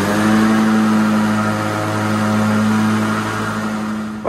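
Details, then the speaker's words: White LT1650 hydrostatic riding mower with Briggs & Stratton engine after hard-starting repair, blades engaged and in reverse: fired right up on the key, steady even drone, no knocks or misses, quietest ever; normal running. "I'm sure on video it just sounds like screaming loud Mayhem but this is the quietest quietest it has ever been and that key fired right up"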